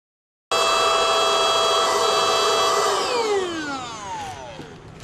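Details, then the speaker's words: NovSight G5 6000A jump starter/tire inflator's air pump with hose on the suction side, deflating an inflated trash bag: steady high electric whine a couple of seconds, then pitch sweeps down at shutoff; normal running. "You're going to switch the hose over to the suction side and it's going to pull the air out of this and uh get it back down to where it was."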